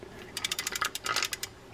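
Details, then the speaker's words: Fishing reel in for service, handle turned by hand: rapid rough clicking rasp about ten bursts a second instead of a smooth spin; bad, worn gears that need replacing. "you can hear it and that's a bad gear"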